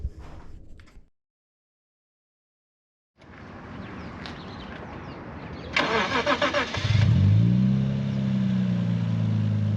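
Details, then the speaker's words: Lexus IS200 straight six (about 2 litre) after DIY near-straight-pipe, decat exhaust, first start, recorded behind the car: short crank then catches into a smooth, even, deep idle with steady low rumble; healthy. "why'd you power dude it sounds like a E30 like a stock E30 almost listen to that thing it's on so good so [ __ ] good man cheers man oh yeah that's got a good idle dude"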